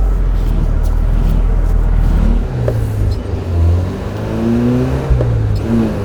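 Engine pulls up smoothly and shifts through with no squeal or chatter on take-up. The clutch engages cleanly.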